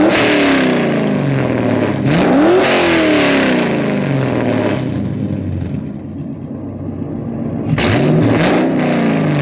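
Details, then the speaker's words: LS V8-swapped Mazda FD RX7 free revs: crisp blips rising sharply and falling back cleanly with a deep even burble between them; normal healthy revving. "oh man how can you not like that rotary and turbo's cool but this is easy i like that easy sometimes it's good too"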